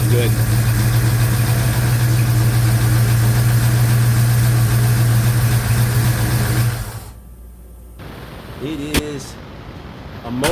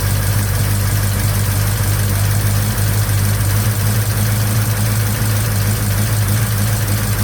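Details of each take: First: 1956 Chevy Bel Air with 307 V8, first proper run after restoration, freshly started: deep even idle with faint light valve-train tick; owner suspects springs and retainers. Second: 1956 Chevy Bel Air 307 V8 run for the first time after restoration: steady lumpy idle with a low hum and faint uneven top-end clatter, valve train loud like a diesel; lifters suspected, valve cover off during the check.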